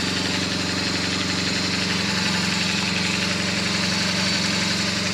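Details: BMW R1200GS Hexhead boxer at a 100,000 km service, after spark plug and coil work, starting to warm up: steady, even idle at about four beats a second, smooth rhythm, no knocks or ticks, sounds healthy; normal idle.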